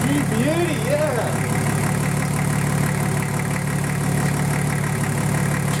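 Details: Nissan Patrol RD28 diesel at first start after injector and injection pump install, lines bled by cracking injectors while cranking: steady low clatter at idle, about four beats a second, holding even; normal diesel idle.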